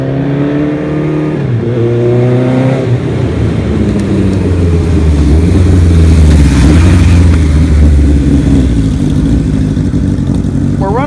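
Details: 1975 Kawasaki Z1 900 four-cylinder, auction bike with Yoshimura pipes and big bore kit, race cams swapped back to original. It revs up cleanly and settles to a smooth, even drone, heard from behind the bike, with no misses or clatter: normal running.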